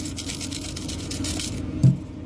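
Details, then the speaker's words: Oil filter from a hydraulic pump (high stat) shaken by hand: quick rhythmic rattling like gravel in a can or a maraca, from bearing and seal pieces caught inside; the pump has failed. "Well, I don't know if you guys can see that, but yeah, we got little pieces of bearing and seals, and then the filter sounds like this."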